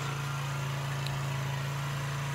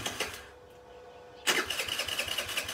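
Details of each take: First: Chinese 50cc Geely two-stroke scooter that sat unused, first run after revival, carburetor suspected of needing removal; steady even low putter with no misses or knocks, idling smoothly, normal. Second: Chinese Geely 50cc scooter left sitting, starter button dead, throttle worked by hand: quiet, then it catches and runs with quick uneven popping about four seconds before dying; carburetor gummed up and must come off.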